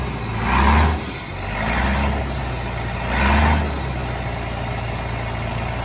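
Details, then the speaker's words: 29-year-old TimberJack 450-C skidder diesel, just started on ether after sitting 8 years: a low, steady idle with a couple of brief revs, smooth and even with no knocks or misses; it later showed zero blow-by. "Wow. Wow. This thing runs so good."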